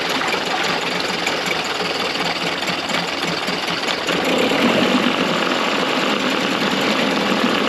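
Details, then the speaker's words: Early-90s 8 hp Mercury two-stroke outboard, first run in a test tank after general maintenance: busy rattle around four beats a second that surges and stumbles; runs rough with fuel leaking under the carburetor. "so the motor wasn't running the best guys and I noticed is my look under the card got a decent amount of fuel leakage all running down"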